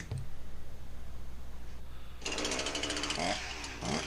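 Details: Husqvarna 346XP chainsaw with high idle and creeping chain; lumpy uneven pulsing run about four beats a second, a big air leak diagnosed by ear, later traced to the base gasket.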